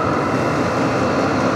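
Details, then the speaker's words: Vevor portable diesel heater two minutes in, draw down to 30 watts, full ignition reached: steady even roar with faint whirr, no pulsing or sputter; burner lit and running cleanly, air warming. "okay we're two minutes in we're down to 30 Watts now look at this we have full ignition"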